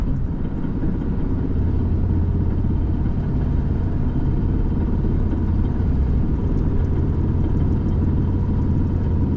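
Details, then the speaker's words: Old truck while driving back after a loud pop: a heavy, low, steady droning rumble from the driveline. Owner suspects something popped in the rear end. Transmission works fine, including reverse; cause unconfirmed. "Sounds like something in the rear end popped. Wow. Transmission's functioning fine."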